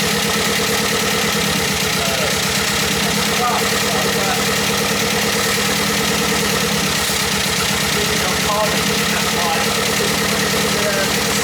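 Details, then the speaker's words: MGB Roadster under restoration, just started with easy-start help: loud idle with a fast, slightly uneven pulsing beat that stumbles now and then, not running on all four cylinders; new spark plugs to be tried. "doesn't sound like it's flying on all four cylinders at the moment and um i'll look into that"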